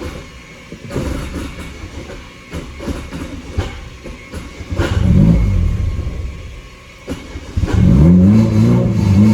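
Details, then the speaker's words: 1987 Yugo GV carbureted engine, first start after sitting 15 years, new fuel pump fitted, starter jumped: fires, slightly lumpy idle, revs cleanly, runs by itself; small oil leak at fuel pump gasket. "oh there we go folks um so we've got ourselves a running car it runs by itself it starts now"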